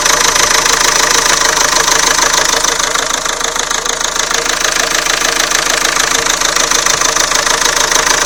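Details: Renault Scenic 2 1.9 dCi diesel, cold start after sitting overnight: sharp, even metallic knock about three per second over idle, loud and constant; owner first suspected an injector but thinks not; engine knock, source unidentified.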